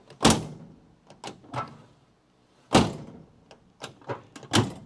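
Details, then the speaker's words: 1969 Dodge Coronet 500 sedan, driver's door closing: heavy thunk plus extra clunks before the latch catches, because the worn door sags and needs reshimming. "You hear the bum bum. It's making a clunk before that latching mechanism moves. Now, once again, that's because the guy who owned this did didn't really use the other doors. That door is worn out."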